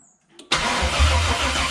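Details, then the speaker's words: LS-swapped LQ9 V8 in a Squarebody C10/C15 truck, checking ignition wire with test light: starter spins the engine steadily with a dull churning beat but it never fires; crank no start. "turn it to the on position now try to crank it nothing no okay"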